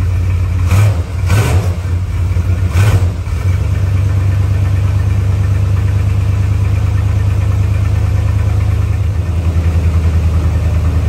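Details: 1977 Chrysler Newport, 400 V8, below freezing after sitting about two months: a couple of throttle blips, then a deep idle that wavers and loses its even beat. Rough cold idle; the owner suspects plugs and wires, possibly the spark control computer.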